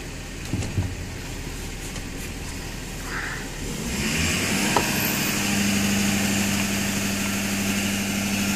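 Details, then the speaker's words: 2012 Ford 6.7 diesel during a Snap-on scan tool engine-running self-test: steady idle, then the computer raises idle by itself with a faint turbo puff, no pedal input; normal self-test idle-up. "Computer idles it up all by itself. Feet are nowhere near the pedals."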